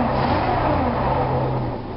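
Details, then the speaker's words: Dodge Dakota that intermittently shuts off while driving or parked since a mechanic's repair, ignition switch doubted; runs rough and uneven, speed sagging as if about to die; now won't hold idle, cause unconfirmed. "and now it won't even idle anymore oh that's new anyways"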